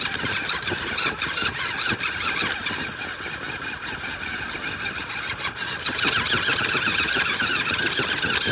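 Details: Front axle of a Wraith rock-racer build after damage at the Gauntlet: chirping, grinding, gritty whirring with possible tooth skipping; owner first suspected chewed ring and pinion but it doesn't sound like busted teeth, possibly a chewed-up bearing.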